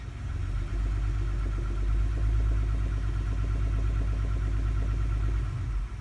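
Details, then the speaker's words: 2009 Toyota Highlander 3.5, 212,000 miles, in drive with foot on brake, revved from 800 to just over 1,000 rpm: low drone with a faint rapid knock that fades higher; owner suspects spark plugs or an exhaust leak. "you hear that slight knocking as i rev up and if i put it in gear my foot on the brake and just give it a little bit of gas if i go a little higher it goes away"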